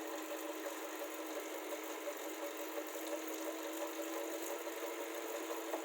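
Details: Elite Suito 2021 smart trainer: steady whirring with a loud tapping about three times a second, keeping time with the flywheel; maker's support calls it normal, owner disagrees, cause not identified.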